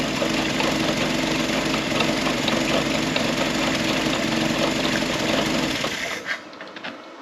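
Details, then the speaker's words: Historic Ford Willys Jeep "Go Devil" four-cylinder, long-stored, after fan belt tightened, choke being tuned: even steady idle, soft regular patter, no knocks or rattles, then shuts down; normal idle. "Don't hear no knots, rattles. Oh, and I did tighten up that fan belt. And it's idling. Little go devil. And I'm trying to play with the choke, try to find the good spot. I ain't believing that. Purring like a kitten."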